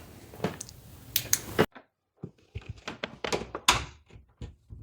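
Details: Interior door closing after bending out the strike plate tab with a flathead screwdriver to stop rattling: soft thunks and a light latch click with no rattle, now quieter and snug.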